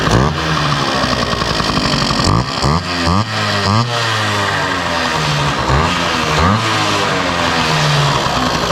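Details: 1971 Yamaha Mini Enduro two-stroke, first start in decades after carburetor cleaning, muffler refitted with washer O-ring; crisp buzz picking up cleanly on each throttle blip and settling back without stumbling. Normal running.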